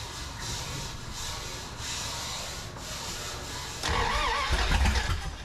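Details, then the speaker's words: 1981 Dodge D150 with the distributor reset to 0.008. It now has spark, but the owner suspects no fuel is reaching the carburetor yet (little gas, leaking fill hose) and that the choke is causing problems. The starter churns steadily and never catches. "I'm not getting fuel up there yet I don't think but we are getting sparked finally"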